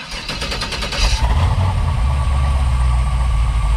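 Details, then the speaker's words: LS-swapped Beetle, first start after fitting new mufflers and the right starter: about a second of cranking, then a deep, steady, quiet idle with no misses; healthy, idle expected to drop further once warm. "first sounds so good it's quiet like oh my god [Applause] now that's that's the sound i can live with"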